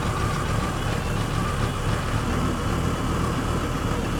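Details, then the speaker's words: Mercedes W126 300SD diesel, replacement engine of unknown mileage, cranking after sitting 10 years with glow plugs powered: steady low drumming with no crisp, even beat, weak compression on one or two cylinders, possibly from oil drained off the piston rings. "okay a couple things you probably noticed right away that we've got one or two cylinders that have pretty weak compression you hear that cranking over and you can hear that runner around which indicates weak compression"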